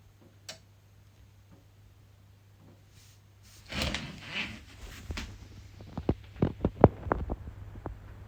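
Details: EcoFlow Delta Pro on solar input at low early-morning or evening panel output: quiet hum, then a burst of sharp dry clicks about a third of a second apart as the input relay repeatedly connects and drops out, continuing over 30 minutes.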